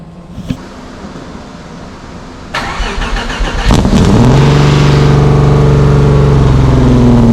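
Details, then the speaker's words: Subaru SVX cold start after exhaust update and vacuum-leak parts replaced: cranks, catches, then holds a fast, steady high idle with faint hiss; vacuum leak still unresolved, source unknown. "I just cannot seem to get rid of that vacuum leak um there's something going on in there that I'm gonna have to figure out later"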